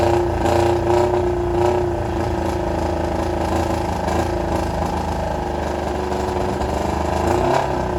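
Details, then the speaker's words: 1995 Kawasaki ZX7 four-cylinder revived after water got into the engine and it was flushed with transmission fluid, muffler removed: idles unevenly with a stumbling, hunting beat and loud raw exhaust; rough running, not sounding good. "All righty. As you guys can hear, it is not sounding amazing. I had to take the muffler off of it because when the water and everything got down this motor, I filled basically everything full of transmission fluid."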